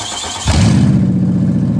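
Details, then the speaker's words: Stolen-and-recovered Ford Crown Victoria Police Interceptor: a deep, throaty exhaust roar jumps with a quick rev and keeps booming, far louder than stock, before a new exhaust system is installed. Loud exhaust. "I got funny man installing the exhaust system so it doesn't sound like this anymore"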